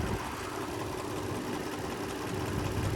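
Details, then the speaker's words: Abandoned Nissan or Honda, unrun since 2021, cold: steady idle with soft uneven knock about four per second, seemingly from the rear side of the engine; owner suspects timing chain, possibly debris, cause unconfirmed. "when I was listening to the the noise it sounded more like it was back on this side of the engine than on the front side of the engine"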